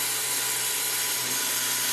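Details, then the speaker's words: Converted Epson LQ2070 dot-matrix printer carriage stepper on the x-axis at 1000 steps per second, 2000 steps each way: high thin strained buzzing whine; stepper struggling at this high step rate. "pitch to the motor it's not very happy"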